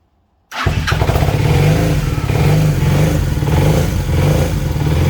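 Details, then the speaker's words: 1980 Honda CB400N motorcycle after greasing tachometer with white lithium grease to cure whining tacho: starts and settles into steady even idle, tacho squeal gone. Normal idle after fix. "well there you go you're pretty much well it completely fixed it i can't hear anything now"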